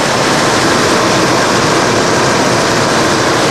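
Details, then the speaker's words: 1991 Mercedes-Benz 420 SEL V8 idling about half an hour with the hood shut to recreate a heat-related breakdown; engine hot, fan clutch fully engaged at full speed, a loud steady rush of air with about 120-degree air blowing out. "And this engine's getting nice and toasty. You can hear the clutch fan is engaged to full speed."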